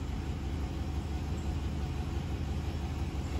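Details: 1999 Chevy Suburban V8 misfiring at idle: deep uneven idle with recurring stumble; scan tool live data shows misfires on cylinders five and seven, traced to a cylinder low on compression.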